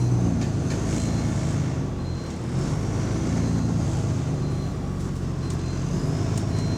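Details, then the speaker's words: GAL E141 London bus, route 118, heard pulling up and under way with turbo whine: deep steady droning boom, heavy low bass from exhaust with little top end; suspected exhaust leak. "Shit, that bass, man. That bass is strong. Fucking hell. That bass from the exhaust."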